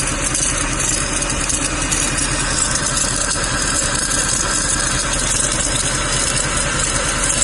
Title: w204 c63 bad pulley noise - time to replace #diy #c63 #mercedes